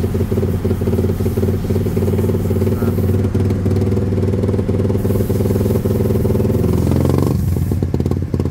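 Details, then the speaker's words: Raider 150 Fi fitted with a VMAX kalkal open pipe and elbow, not yet remapped: loud revving with sharp crackling pops as the throttle closes, severe exhaust popping (pugak) on deceleration, to be removed by remapping. "Maganda sana sa tenga, pero yung pugak malala."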